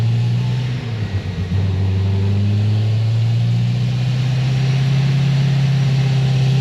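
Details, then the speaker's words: Supercharged LS7 final dyno pull: strong steady drone with clean rising note to 6850 rpm redline, no breakup (previously broke up around 6300–6400 rpm); healthy wide-open pull. "I'm gonna leave it there it's obviously not breaking up anymore it's pulling all the way to Red Line and that was 60 68.50 so this thing's good to go"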